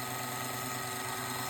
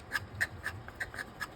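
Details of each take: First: MARBLTRAK marble booster with a 550 motor, gear mesh tuned to the happy medium: a steady, even motor whir with soft gear hum and no grinding, not super quiet but quiet. Normal, correctly set mesh. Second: MARBLTRAK marble booster with a 550 motor, shaft pushed all the way against the outside wall: quick regular scraping ticks, about four a second, over a faint motor hum as the orange piece rubs the housing wall. Fix is to back it out slightly.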